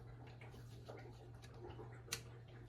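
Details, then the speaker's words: Yonex Percept 97 tennis racquet just hit with: sharp little clicks, one loud, as the strings are pushed by hand; worn strings click at the crossings, side strings no longer snap back, so restringing is due. "as I move these strings you'll hear some clicking sounds"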